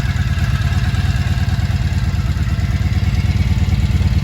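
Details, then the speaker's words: 1983 Honda V45 Sabre VF750S V4, 25,868 on the clock, after fuel leak repair, new battery, warming on one temperature-gauge bar with fan run manually: deep even burble, no ticks or misses; normal idle. "Hear that soft purr?"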